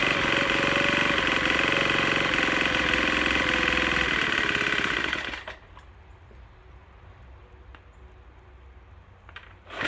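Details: Troy-Bilt TB4HB EC leaf blower, unstarted 4–5 years, full choke, primed: high buzzing engine runs uneven and stumbling about five seconds, then dies. Breather loaded with oil via crankcase overflow tube from compression leaking past piston rings.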